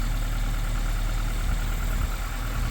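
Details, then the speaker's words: 1980 Chevy Luv truck engine, sitting 25 years and first started, without coolant: low steady idle rumble with no knocks or misses, smoke clearing; normal idle. "that's a good running little motor other than all the smoke it's going away a little"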